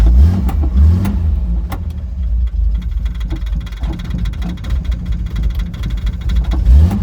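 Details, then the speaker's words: 1968 Jaguar E-type Series 1 convertible, sat about two years: engine keeps going only on repeated throttle blips and won't settle to idle; choke linkage was stuck, freed, now idles. "all right now Idols uh all the CH linkage was stuck so I sort of got it"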